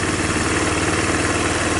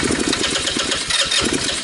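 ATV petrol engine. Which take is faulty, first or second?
second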